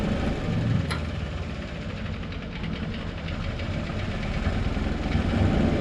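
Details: John Deere 720D diesel tractor, previously a no-start: even diesel clatter at a steady idle, about three or four beats a second, keeps running fine; no-start issue fixed, normal running.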